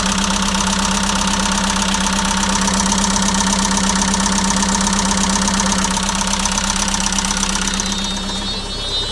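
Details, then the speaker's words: Circa-2006 JCB 180T compact track loader diesel at idle: steady idle with a fast light tick, two or three a second; soot seen coming from the turbo, suspected exhaust leak there as the ticking source. "I do see evidence of something going on right there looks like soot is coming out of the turbo maybe there's an exhaust leak there that could be the ticking that they were hearing"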